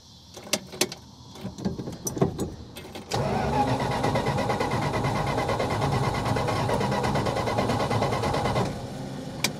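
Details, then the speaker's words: 1966 Plymouth Fury, wiring soldered, new coil, 12 volts and good ground confirmed: a few clicks, then the starter spins the engine at an even churning beat for several seconds but it never fires; no spark, cause unknown. "oh you've got to be i'm so frustrated guys i'm not gonna lie man i i don't uh i don't understand what the problem is here"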